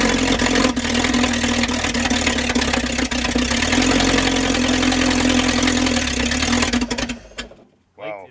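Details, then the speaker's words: Straight-eight engine (Packard or Buick type, pre-1955) after valve and seat grind, primed and started: catches and runs with an even, rapid firing beat, sounding like all eight cylinders fire, then shuts off. "that sounds Dec sounded like eight cylinders yeah did you guys feel that"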